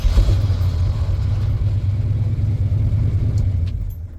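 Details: 1977 Ford F-150 with failed voltage regulator (engine had kept running with key off), reconnected and fired up: catches right away, settles into steady even low rumble, no misses or knocks; clean healthy start.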